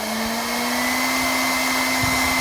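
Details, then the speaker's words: R8 spindle at full speed, 18,000 rpm, after retrimming the shank and adding a 35mm shank filler, mic held close: steady high-pitched whir with no hum; humming rises at mid speed and disappears at maximum. "as you can see now go faster there is no humming and then the humming starts picking up and then it goes away after it reaches the maximum speed that's maximum"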